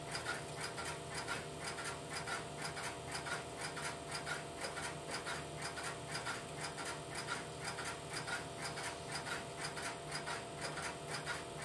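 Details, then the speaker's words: Idle Strowger step-by-step telephone switch, no calls placed: steady soft ticking about once a second over a low hum as the interrupter relays cycle in the background; normal idle. "I will let the camera run for a minute or so to pick up the sound of the interrupter in the background and then I will place a phone call through the switch."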